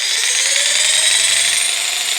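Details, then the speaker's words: Bosch PST 800 PEL 530 W jigsaw (220–240 V only) run on 115 V: steady high-pitched motor whine with a wavering strained edge, unlike normal running; abnormal noise from undersupplied voltage suspected. "Hear that noise? You hear that, yeah? He didn't do that noise on the other side."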